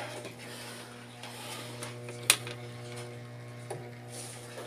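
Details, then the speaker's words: Samsung automatic washing machine with no water coming in; replacement inlet valve solenoid wired directly to 220 V gives a steady low electrical hum with no chatter, so it works. Stays silent when connected to the controller board, which is also faulty. "Yan 220 volts. So kaya umuugong siya dahil meron siyang supply na 220."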